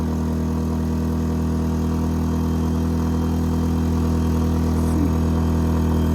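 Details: A-iPower SUA1500i 1500 W inverter generator under a space heater load of about 1200 W: steady even drone at raised speed with firm low hum, no knocks or surging.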